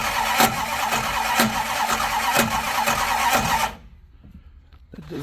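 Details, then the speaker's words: 1972 Plymouth Fury I, long neglected, cranked with a mini starter in park: slow, lumpy cranking with a heavy thump about once a second, still rough; owner suspects a bad torque-converter ring gear spot or bent pushrod, unconfirmed. "It's still kind of rough. I'm not sure what the hell's going on."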